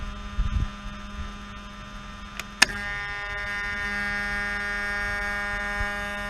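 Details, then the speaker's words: Mercedes V12 with repaired throttle bodies installed, ignition on: a click, then a steady low electric hum with fine overtones as the throttle body runs its learning; healthy sound. "so let's put on the ignition now ignition is on so we hear the hump it's gonna do the learning"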